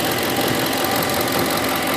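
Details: 2008 Ford F-150 5.4 V8 at idle with a busy, fast light tapping over the steady running noise, which started about a week ago; source unidentified; engine ticking.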